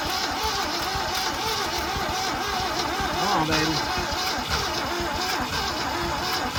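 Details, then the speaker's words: Long-abandoned 1966 Ford Ranch Wagon ambulance, big V8 on a weak battery: starter churns quickly and unevenly but never fires; fuel supply problem suspected, not confirmed. "Why is it not trying now? What is going on? Did we lose spark or something?"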